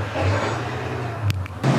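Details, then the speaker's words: 2007 Hyundai Santa Fe 2.7 V6 at idle after replacing the bad purge valve for code P0441: sharp light clicks as the new purge valve opens and closes normally, confirmed with scanner; check engine light off. "so the purge valve is on and it's working like it's supposed to I checked with my scanner it's closing and opening you can hear it clicking"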